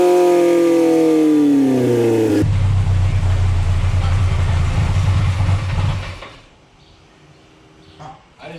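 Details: Mercruiser 140 boat engine swapped into an S10 with GM ECU tune, not staying in closed loop: pedal held still at about 15, note climbs by itself, flares and drops away; rpm surging as spark advance jumps to about 35 degrees.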